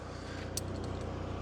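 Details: Saturn car that sat in a barn for about a year, freshly started after sitting all day, with no battery light on: a quiet, even low hum with a steady pulse and no stumbling or dying. The engine is idling smoothly.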